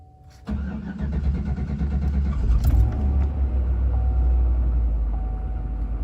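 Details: Chevy Avalanche after replacing a leaking fuel pump module, one gallon of gas added, pump primed twice: short crank, quick catch, then a settled, steady low idle with no stumbling; starts and runs normally.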